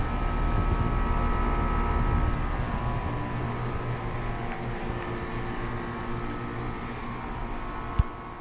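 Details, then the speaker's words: 2020 Bryant Preferred Series outdoor AC unit running normally with a steady low hum and whirr, compressor on, after a tech replaced a bad capacitor; it had run without the compressor; 103°F sunny day. "so it was indeed a bad capacitor he just changed it and I think see it's back up and running"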